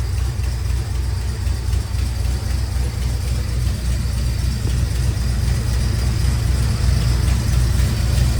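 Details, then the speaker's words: 1972 Dodge Charger V8 idling untouched after fuel pump and belt installation: a deep, steady rumble with an even beat; an earlier click smoothed out on its own. "look everybody we have not even gave it to gas we just letting it run we're letting it idle"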